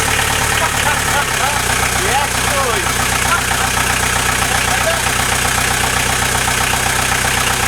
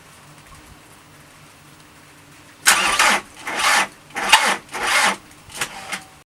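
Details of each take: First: VW Transporter T4 diesel, newly fitted engine first start after about 20 minutes of cranking and a fuel stop solenoid fix, no exhaust fitted: loud clattery but steady, even idle; engine runs healthy. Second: VW Transporter T4 with newly fitted engine: starter churns in uneven surges for about four seconds and never catches; later traced to a sticky solenoid caused by the immobiliser after the locks and barrels were replaced.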